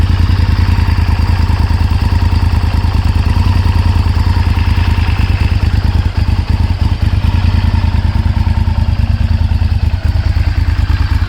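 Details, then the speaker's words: 1998 Honda VTR1000F Superhawk V-twin with full Yoshimura exhaust, cold start and revving after sitting for a few months: deep, lumpy rumble with uneven firing and slight hesitation picking up; carb service recommended. "hear a little bit of hesitation, I would recommend a carb service. Bike was sitting for a few months, and we all know what that does to fuel and the carbs."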